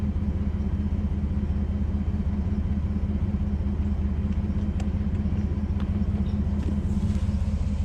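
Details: Chevrolet S10 work truck just after installing a new 18-inch 409 stainless Total Flow muffler: deep, even idle rumble with no rattles, ticks or exhaust leaks; normal, healthy exhaust note.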